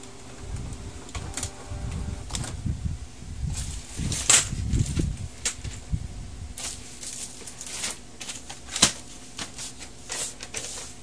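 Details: Canon G2010 printer after P22 scanner error repair: quick irregular whirs and clacks as carriage and paper feed shuttle; normal test print cycle, though cartridge print quality issues remain.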